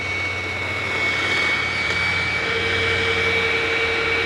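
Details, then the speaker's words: Hoover WindTunnel self-propelled vacuum on carpet at high setting, self-drive switched on: steady high whine over motor rush with a second lower tone cutting in halfway; runs very oddly, won't turn off normally, cause unclear. "let me turn this to on for the self Drive yes it it runs very oddly and of course it doesn't turn off normally that's kind of weird"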